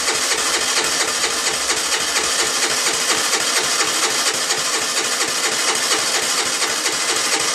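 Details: 2008 Baotian Tanco 50cc four-stroke scooter that can take 12 minutes to start: fast, loud, steady mechanical chatter at about two beats a second with no sign of catching; hard starting.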